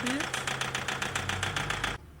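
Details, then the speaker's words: 2006 Toyota Hilux 3.0 diesel at idle, sharp even clacking about seven times a second then stops; injector knock, not misfire, from excessive rail pressure; scanner shows P0093 large fuel leak and fuel pump system code. "Ela fica castanhando os bicos. Tá vendo? Não é falhação, castanhando"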